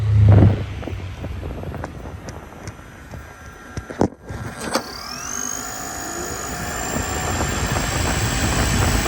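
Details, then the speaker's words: 2021 Toyota Sienna electric AC compressor, phone held against the compressor body: steady radiator fan roar, then a high electric whine sweeps up and holds a constant pitch as the compressor kicks on and off; normal cycling. "I'm gonna move the phone and I'm gonna touch the body of the compressor so you can hear the electric compressor kick off and you can hear the electric compressor kick on."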